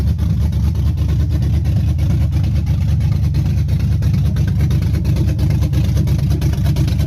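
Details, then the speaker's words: Chevy 5.3 V8 in a truck with stage 1 cam, TBSS intake, 90 mm throttle body, after bent-rod repair: deep, steady idle with a slight lopey cam rhythm, even firing, no knock or tapping; healthy normal idle. "I might try to get the staff to get this specs on this cam it sounds good"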